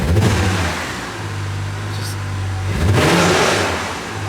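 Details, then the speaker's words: Toyota JZX90 1JZ with automatic transmission, after a full fluid flush and exchange: it hums steadily in Drive, then revs climb sharply, hot and fast, with no matching pull and the car won't go anywhere; slipping suspected, cause unconfirmed. "and then now we're trying to drive it and it won't go anywhere which is so weird i don't get it"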